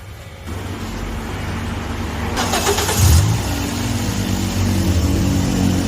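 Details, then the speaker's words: Toyota Vios 1NZ engine after all four wiring sets were replaced and spliced in: catches quickly, gets a short throttle blip, then settles into a steady, even idle with no stumble or shake. "[เพลง]ม.คจะเอาเสร็จเรียบร้อยแล้วนะครับนิ่งกิ๊บ"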